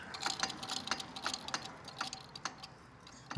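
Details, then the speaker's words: Second-gen Dodge Ram with 5.9 Cummins on a lift, front disassembled: light dry clicks every fraction of a second as the hub is turned by hand, with something dragging inside the rotor; worn-out, rusty front axle U-joint, due for replacement. "clicking you hear is that U-jint."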